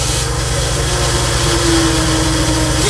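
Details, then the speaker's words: Pressure washer small engine running steadily, unloader/regulator backed off too loose with small tip fitted: fast, uneven rattle over the engine as too much water bypasses; adjust by sound and feel until the rattle stops. "that rattling going that's too much water going through"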